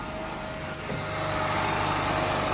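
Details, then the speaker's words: 2006-2009 Honda Civic Hybrid with 185,000 miles, just after a serpentine belt replacement. It catches in under a second and settles into a smooth, steady idle with no squeal or chirp, and the auto tensioner held position: healthy idle. "it sounds really good. And looks good. Fine. The auto tensioner didn't move."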